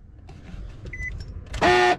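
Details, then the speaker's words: 2014 Nissan Rogue, key switched off with engine not running: short harsh electric buzz from one side, a failing automatic door lock actuator; the driver side was already replaced. "that's the automatic door lock mechanism and out of everything that's wrong with this car those things go bad more times than I can count"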